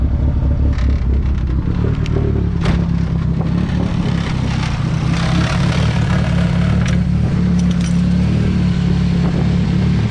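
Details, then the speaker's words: Nissan 240SX S13 KA24DE turbo, cold start idle warming up on old fouled plugs after fuel lines replaced: low loping idle with irregular chuff and skips; still misfiring and running very rich; owner suspects fouling plugs or dirty injectors. "I guess it's a cold start. This thing runs hella rich. Let it warm up a little bit. It's definitely still missing."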